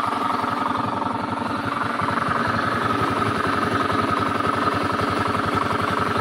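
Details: Honda Beat scooter idling with a fast, uneven knocking rumble from deep inside the engine, not the CVT belt drive or fan; worn crankshaft bearing.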